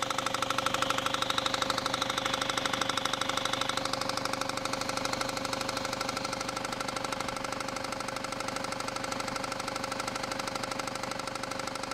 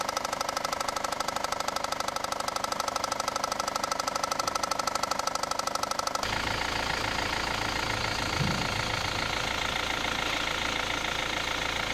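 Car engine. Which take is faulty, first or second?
first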